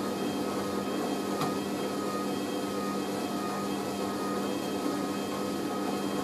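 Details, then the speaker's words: Hoover A3060 Electronic 1100 washing machine on Minimum Iron 50ºC with Bio Prewash and slow spin, after redistribution, during spin: steady motor hum with constant tone, no thumping or banging; drum spins smooth and balanced, a normal spin. "that's perfectly smooth [Music] i'm happy"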